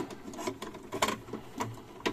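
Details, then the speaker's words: Discarded Hi-Fi cassette deck from a German scrapyard: irregular bursts of whirring and ticking. The cassette compartment won't close fully and the heads seem not to retract; cause unknown. "но она почему-то не заходит туда то есть вот видите не закрывается странно как то"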